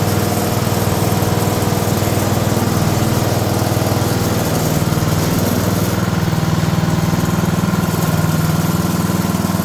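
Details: Older 5 hp Briggs & Stratton single on an abandoned chipper, revived with Deep Creep on the valves. Running with the air cleaner refitted after a restart on a little choke: a steady, even thump with no misses or surging. Normal running.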